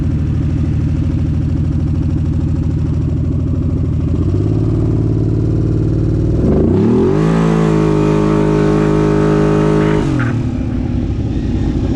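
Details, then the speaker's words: Kawasaki Brute Force V-twin with cheap eBay Caltric camshafts: pulls up strongly with rising pitch, then the note sags and flattens near the top, losing power; something unusual found on the cams at teardown when compared with the OEM cam. "this thing as you can see at the beginning of the video sounded like it had a lot of power and then it just died off"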